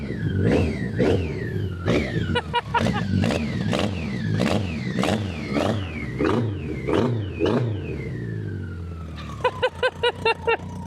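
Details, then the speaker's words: BMW K100 cafe racer, about three years unused outdoors then in a barn, jump-started, fuel pump noisy, tank dripping fuel: four-cylinder catches and revs freely, rising sharply and falling back cleanly after long storage. "well I I mean I shouldn't be amazed that it ran but I'm still amazed that it actually ran"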